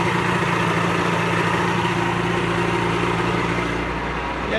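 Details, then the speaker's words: Pelin Nomad boat's two-stroke outboard, not quite cold, on fast idle with lever forward after a crank; even, steady burble with no knocks, misses or rattles, normal smooth running; only a drip from the telltale out of water. "Alright, so I'll just push that in, move the old lever forward, and we should be a bit of fast idle then, give it a crank."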